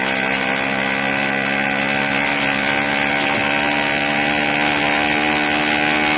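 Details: 80cc two-stroke engine, loud and buzzy at a high, uneven pitch with a rough flutter, surging and unsteady; owner suspects a carburetor problem with a leak at the intake manifold, not confirmed.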